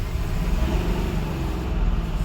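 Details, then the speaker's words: Mahindra Bolero Neo diesel after the mismatched rail pressure sensor was replaced with the correct part number. Revved with a deep, steady drone and no knocking, and no fault codes: normal revving. "कोई knocking नहीं, कुछ भी नहीं।"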